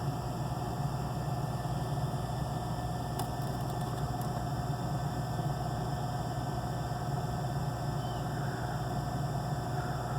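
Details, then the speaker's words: Gas package unit on first no-heat call of season, 90°F day: inducer motor hums steadily with faint whir, no firing; not pulling enough draft so pressure switch never closes, flashing code 3 (pressure switch failed to close) before lockout. "And that is pressure switch failed to close. It should lock out any second now."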